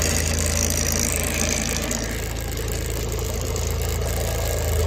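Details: Benford Terex HD100 dumper diesel, which has no forward or reverse drive, started with the lever in the middle after glow plugs: clattering along at a steady idle with an even beat and no misses. Normal idle.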